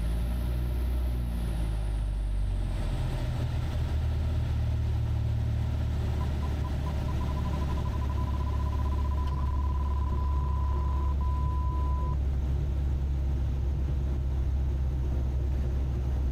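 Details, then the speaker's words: Vans RV7 aircraft just before touchdown after aerobatics practice: over the steady low engine drone, the angle-of-attack warning beeps, pulsing then continuous, showing the stall warning is working. "just before touchdown here you will actually hear the AOA uh start making a noise which is really good that it's doing in that."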